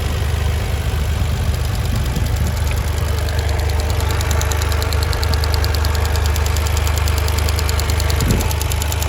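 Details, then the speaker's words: 2023 Toyota GR Corolla, engine about halfway warm: light, quick ticking of about three ticks a second over steady idle hum, seemingly from low in the engine compartment; source unknown, later stopped. "that extra little ticking sound that it's making. I can't tell where it's coming"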